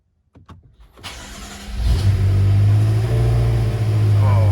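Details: BMW F10 M5 after new spark plugs and coils, after reseating loose coil connectors that caused misfires on cylinders 2, 3 and 4, codes cleared: brief crank, quick catch, smooth steady deep idle, no errors; normal start and idle.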